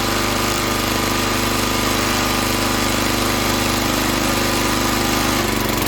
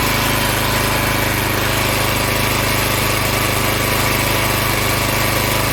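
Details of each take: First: Log splitter engine that stalled under hydraulic pressure, after opening the valve underneath to one and a half turns out: rough, lumpy low thumping, speed sagging and bogging under load; carburetor not yet cleaned. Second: Log splitter Briggs & Stratton engine 126T02 after repair: carburetor cleaned, speed set to about 3100 rpm spec, valve underneath two turns out from seated. Holds a steady, even governed speed under load, no hunting, misfire or stalling; running much better.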